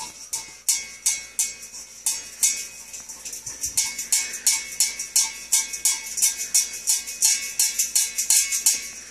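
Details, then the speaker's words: Removed 3-inch exhaust resonator, shaken by hand indoors: light metallic ticks in bunches about three times a second, like a very small stone loose inside. Not very loud, and not heard while the car was running or driving. "okay so you can hear it almost sounds like there's a very very small Stone uh stuck in the resonator it's not very loud"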